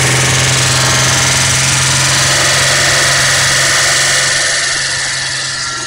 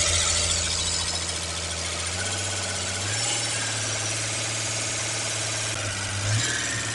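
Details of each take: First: Holden six-cylinder with carburettor after new camshaft and lifters: loud busy engine holds a fast even idle, easing down slightly as it is adjusted back toward normal idle. High idle speed. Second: Holden six-cylinder with carburettor, just fitted with new camshaft and lifters, timing set, not a full rebuild; started after fuel pump trouble: steady even drone with busy top-end chatter, no heavy knock. Normal running.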